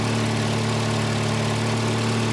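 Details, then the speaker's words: 1985 Volvo 240 (LH2.2), with the idle air control motor grounded via its blue/white wire and shown working: a fast, even idle with a steady hum that never settles, from a faulty idle air control valve (a replacement unit). "it shows you that the motor is working but why am I getting a high idle"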